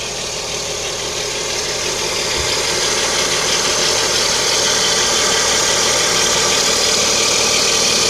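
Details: Lada Kalina 11194 at idle: steady high-pitched whistle over an even idle, said to be the timing belt; exact source unproven.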